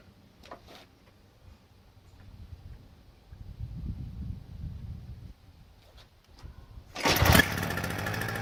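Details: Toro CCR2000 single-stage snowblower, possibly 1990s, 4.5 hp Suzuki two-stroke with Mikuni carb, 50:1 fuel mix, after cleaning carb bowl and main jet with brake cleaner; fires after a few quiet seconds and settles into an even, steady run with no misses.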